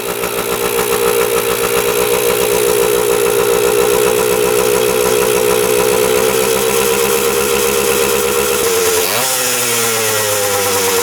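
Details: 1977 Kawasaki KE100 two-stroke enduro after carb float height change, running without air filter: steady even idle with crisp regular firing, no top-end knock, bottom end sounds healthy.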